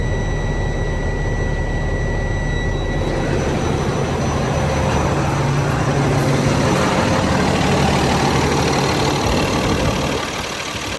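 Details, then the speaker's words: Freightliner M2 106 diesel idling after replacing a leaking airline fitting; compressor slowly building pressure with no hissing from the lines, no air leak felt. "I know it's probably loud right now, but I don't feel any air leaking out of there like I had used to."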